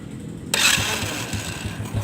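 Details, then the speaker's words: Carbureted motorcycle over five years old, after setting a fuel-wasting carburetor back to standard with the idle-RPM screw: small single settles into a light, even low thump at idle with no misfire or hunting. Air screw needs no adjustment; normal idle. "karena memang bisa sahabat dengarkan siswa rather bunyinya itu sudah sangat rata"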